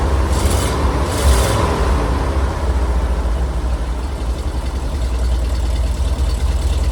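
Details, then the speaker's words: Classic car engine running with Seafoam added: low, uneven idle with irregular loping and dips as if about to stall. Rough running, which is expected to clear out. "I it's going to run a little rough with that seafoam in there I think it'll clear out"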